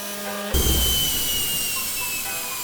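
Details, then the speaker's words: Newly installed permanent onboard air compressor filling a tank: steady high hiss over the compressor hum, an air leak on the fill line before the one-way valve, suspected at a bung or joint, not yet confirmed. "Okay, so as you can hear, it's got a pretty dramatic air leak somewhere. Just trying to see where it's coming from."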